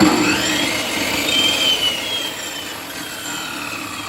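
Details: Table saw running after blade change: smooth high whirring spin that fades evenly with no wobble, rubbing or rattle; saw running cleanly.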